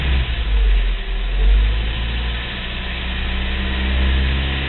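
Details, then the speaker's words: Low rumbling idle swelling into a heavier throb every couple of seconds then settling, after warm-up from cold start; intermittent idle vibration, owner wonders about Jake brake or EGR, compression test planned; cause not confirmed. "that's what it sounds like exactly what it just did are just kind of kicks in like that that's why I said Jake brake because very unusual could that possibly be the EGR like Todd's Ted said"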